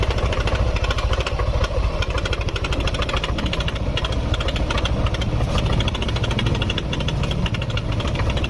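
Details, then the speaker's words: Yamaha NMAX scooter engine idling: fast, busy metallic ticking rattle diagnosed as a worn cam chain tensioner. "kalau suara seperti ini bisa teman-teman langsung vonis permasalahannya di bagian tonjokan keteng langsung saja enggak apa-apa yakin kalau suara kayak gini yakin masalahnya di bagian Tensioner penekan keteng tonjokan keteng yakin"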